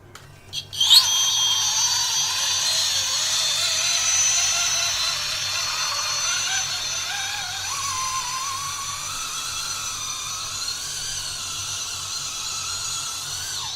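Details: Cross RC MC8 8x8 truck with newly fitted Holmes Hobbies Revolver 1400kV brushless outrunner and Castle Sidewinder 4 ESC, driven on the lawn: high whirring tone wavering and climbing with throttle, no clicks or grinding; brushless motor running normally.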